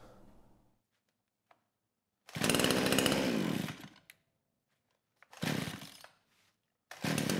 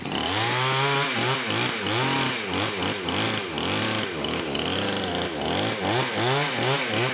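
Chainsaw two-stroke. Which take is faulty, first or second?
first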